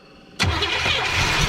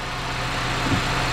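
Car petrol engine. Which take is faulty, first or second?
first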